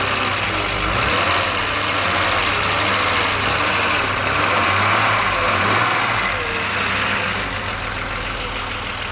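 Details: BMW 635CSi E24 with the air hose refitted to the throttle body after rough idle investigation (ICV); warm at about 80% operating temperature, restarted: settled idle with no hunting; warm starts fine; earlier it shuddered and stalled on throttle.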